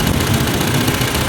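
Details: Hyundai Elantra (no-crank no-start job, computer box fault) idling unevenly and stumbling with a low throb; a coil was found leaking oil, so spark jumps to the side instead of the plug, causing misfire; two coils bought for replacement.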